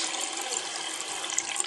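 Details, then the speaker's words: Hot water tap running after a new water heater tank was installed with SharkBite connectors and the breaker switched back on; steady, even hiss of freely flowing water with no sputtering, banging or air spitting—normal flow. "we made a mess of the tub but the good news is now we have hot running water nice"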